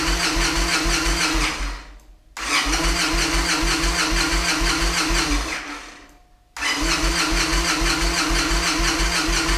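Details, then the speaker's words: Victory Vegas Jackpot on a chilly day, new fuel pump just installed and primed: two bursts of fast, even starter cranking at about three turns a second, no catch, same fault as before. Crank-no-start. "We'll give the battery a chance to charge back up and see what happens, but it's doing the same thing it was doing before."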